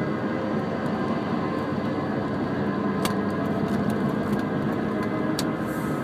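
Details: Pre-2003 Mini Cooper S R53, about 115,000 miles, driving: steady gritty grinding under cabin noise, began after coilovers were fitted; wheel bearings, rotors, pads, mounts, tires recent; owner suspects the slipping clutch.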